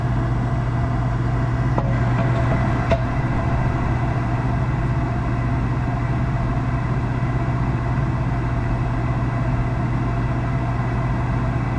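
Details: Gas package unit furnace after draft inducer replacement (old one extremely loud), finally lit on heat call: steady even low hum, no rattles or screech; running smoothly and normally.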